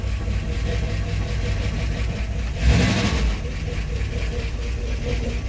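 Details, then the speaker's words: 1970 Dodge D100 pickup V8, first run after cam swap with DLC lifters, before timing set and cam break-in: smooth idle with one quick throttle blip rising and settling cleanly, no misses or heavy knocking; normal revving, already better as lifters pump up. "I get the lifters pumped up. That's already better."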